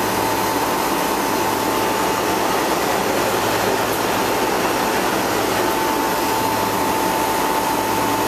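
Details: Newly fitted two-speed (2/4 pole) Bristol compressor at commissioning, after condenser leak repair and new suction line: steady hum and fan rush with no knocking or rattle; runs smoothly.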